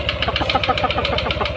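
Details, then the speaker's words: Yamaha NMAX 155 idling with a steady, hollow knock about seven to eight times a second from the CVT area. It is clearest at idle and fades when riding; a loose bolt or worn bearing is suspected, not confirmed. "ada suara aneh kkk pada saat kendaraan dihidupkan Mas bro Dia mau pelan mau kencang suaranya k kayak ada OP ya pelor mungkin oblak mungkin"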